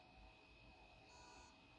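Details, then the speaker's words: Seagate 500 GB laptop hard drive connected to a computer: quiet electronic beeping over faint hum and no spin-up, blamed on heads stuck to the platter; heads freed and data recovered. "most of the people say that it's a problem with the heads that's stuck on the the platter which reads the the data inside this this hard drive"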